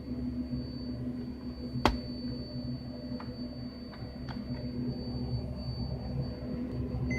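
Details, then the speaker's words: ViewSonic 22-inch CRT monitor under repair for a very dark picture, at switch-on after adjusting internal knobs: thin steady high-pitched whine with a few sharp ticks, a new noise never heard before; cause unknown. "This is new. Never made that sound before."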